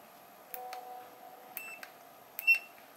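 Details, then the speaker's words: Samsung 32-inch LED smart TV, no picture with normal sound: multimeter still beeps continuity after removing suspect capacitors, board shorted; mold and corrosion suggest water-damaged LCD panel, suspected not confirmed; continuity beep indicating short circuit. "Ternyata masih ada suara bel."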